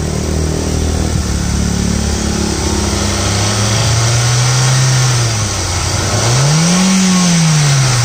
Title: I20 Magna, 2009, Silver color, DL3C, Engine noise.